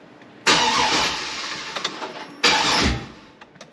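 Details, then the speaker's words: 2003 Silverado SS, 6.0 LQ9 V8 just fitted with a BTR Stage 4 cam on a base tune: two even cranking bursts that never fire; the O2 sensors were unplugged and an ignition coil circuit was later found disconnected. "all right ready oh oh twos aren't in all right so that's how it goes we always forget something O2 sensors are not connected so let's get those put in"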